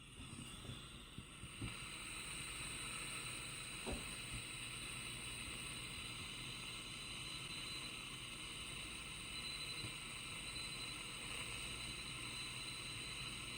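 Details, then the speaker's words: Home-built 40 m direct-conversion receiver after fixing AF amplifier hum: steady hiss of band static with no hum or buzz and faint CW Morse audible; receiver working normally. "I don't know if you can hear that that is just static and actually if you're listening carefully you can hear some CW"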